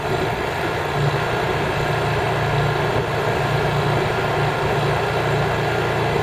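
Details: Honda EU3000is inverter generator (new) running in eco mode with no load; smooth, even hum at steady speed with no knocks, misses or surging, very quiet normal running.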